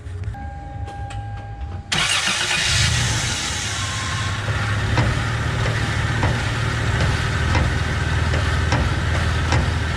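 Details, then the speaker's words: 2003 Toyota Tacoma 3.4L V6 4WD manual, engine idling while steering is turned left to right: light irregular clunks as the whole rack shifts because its rubber rack-and-pinion bushing is completely gone. Fix: install a new bushing. "so as you can see the whole rack is shifting back and forth there's supposed to be a rubber bushing in here that's completely gone"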